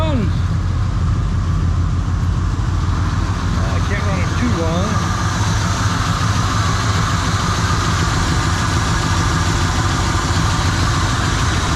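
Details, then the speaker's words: 1970 Chevrolet Monte Carlo after long storage, first run on fuel poured down the carburetor: rough, lumpy idle with a fast puffing tick of about three per second over the exhaust note from exhaust leaks. "holy smoke I can hear exhaust leaks she pumped out a whole lot of junk out of the gosh but it runs"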